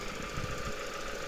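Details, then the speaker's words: 2002 Toyota Noah front-wheel-drive minivan, 2.0-litre engine, Japan auction car: steady idle with fast, light, even ticking over the engine hum; injector clicking, same as other Noahs and Voxys, runs well; normal. "runs well in the video you'll hear clicking that's the sound of the injectors it sounds like all the other Noah's or vaccines that we have exported"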